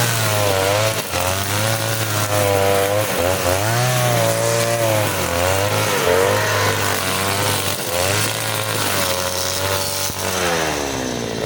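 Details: Side-mounted two-stroke brush cutter with nylon line: high clean note dips slightly and recovers cutting thick grass, pulling strongly; healthy running under load.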